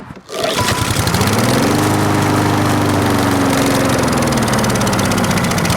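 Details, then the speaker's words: 4-stroke lawn mower running while Sea Foam Spray is sprayed into the carburetor intake, air filter off: engine note sags lower and rougher as it floods, bogging down toward stalling before a 10-minute hot soak. "So I just drown out that engine."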